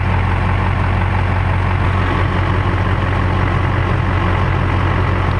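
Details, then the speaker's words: 19-year-old LB7 Duramax diesel pickup at 400,276 miles, cold idle at the exhaust: steady even low rumble with no knocks, misses or rattles; high-mileage engine sounds healthy. "And here's the exhaust. Sounds healthy, don't it?"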